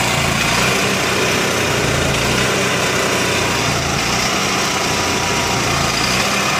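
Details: Onan MicroQuiet 4000 generator with a clean carb, new air filter, constant fuel pump flow and a nearly new spark plug. The engine runs with an uneven, lumpy beat that never smooths out: rough idle, cause unknown.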